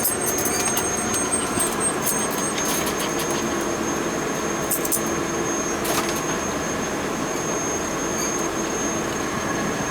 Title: LOUD NOISE COMING FROM BOILER ZONE